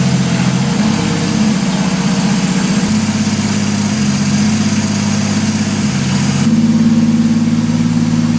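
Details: 1983 Ford Fairmont Futura, turbo Vortec 4200 DOHC VVT inline-6: settles into steady idle, speed stepping up and down a couple of times, no misfires; normal idle.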